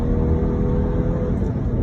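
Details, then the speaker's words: Mitsubishi Space Wagon, dual-fuel mainly on LPG, with remapped ECU and tuned gas system, accelerating on road: strong even engine drone pulling cleanly under load, no knocks or misses; healthy responsive engine. "ถ้ามีกำลังนะครับเสียงเครื่องอ่ะมันจะตอบโต้กับเรามันจะสะดังออกมาที่หม้อกองนพอดนะฮะ"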